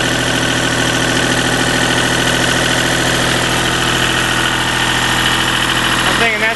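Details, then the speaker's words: Deutz diesel engine driving a Lima generator, first start-up after repair, at about 1,800 rpm: steady even drone at constant speed with no misses or knocks. Normal governed speed. "pretty close to 1,800 right there."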